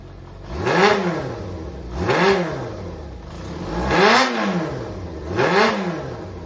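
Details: Running Yamaha XJR400 (4HM) engine assembly, removed from a working bike, compression tested, no abnormal noise or white smoke: four clean, even throttle blips from a smooth idle, crisp rise and fall, no knocks or rattles. Normal revving.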